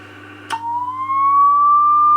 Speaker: You can see how the oscillator chirps. We're getting 120 watts there.